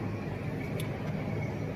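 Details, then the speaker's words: Junkyard turbo Ford 351 Windsor V8 after installing Elgin stainless 1.6 ratio roller rockers on hydraulic lifters: even low drone, no top-end ticking, valvetrain quiet; runs smoothly (plug wires near header burnt, to be replaced). "i'm gonna change those but um other than that sounds good it's running good"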